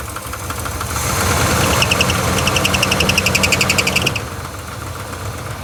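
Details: 1980 GMC Sierra/Chevy C20 crew cab, 454 big block, run on fuel poured in by bottle: catches and runs rough about three seconds at roughly four beats a second, then dies; first time heard running, sounding promising.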